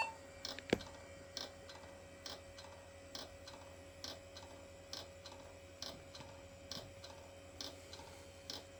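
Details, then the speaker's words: 10 GB hard drive in IBM/Cyrix Socket 7 Windows 98 PC, not detected: quiet, sharp ticks about every two-thirds of a second with no spin-up hum; failing hard drive clicking, even after the upside-down trick. "so yeah that is a um dead Drive well half dead"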